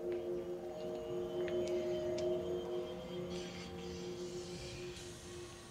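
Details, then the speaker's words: MG ZS EV pedestrian alert sounder, microphone on tripod at sounder height as the car pulls up: steady pure hum of a few hundred hertz swelling then fading from quite a way off; alert working normally. "if you listen very very carefully you will hear it the sound from quite a way off"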